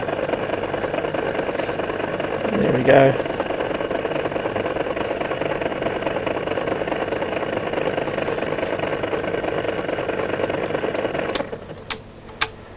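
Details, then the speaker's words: MORI MA-100 antenna rotator on the bench without its top housing: steady motor hum with a rough, uneven grating edge while turning, then it stops; jerky, weird-sounding rotation, owner thinks it may slow under load. "actually it's quite fast in a sense but a really weird sound that comes from it as you can hear as it rotates around and so we've got around here a jerky funny feel probably under under load it will be uh or quite down a bit"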